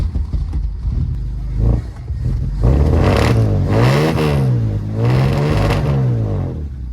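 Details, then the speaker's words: 1947 Plymouth Special Deluxe convertible, twin carbs before balancing: revs up and down in short pulls, stumbling briefly before each climb; throttle hesitation, vacuum 19 and 18 inches on unmatched gauges. "interesting a little bit of a hesitation though"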